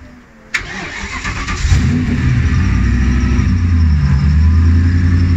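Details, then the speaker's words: BMW M60B44 4.4-litre V8 hybrid build, start after refitting front end and fluids, crankcase breather vented to atmosphere: starter catches, fires straight up, settles into strong even rumble with clean throttle blips; healthy. "final video of the day all the front ends back on we've got fluids it makes a good noise"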